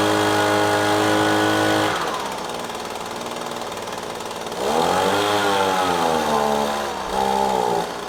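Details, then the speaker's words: Echo PB-250LN handheld two-stroke gas blower that bogged down on throttle-up, after changing out the fluid and carburetor adjusting-screw tweak: buzzy engine drops to idle then rises cleanly to high revs twice without bogging; normal throttle response. "all right I think that was a ticket changing out the fluid then exposing that little adjusting screw getting it adjusted just right looks like it's working just fine"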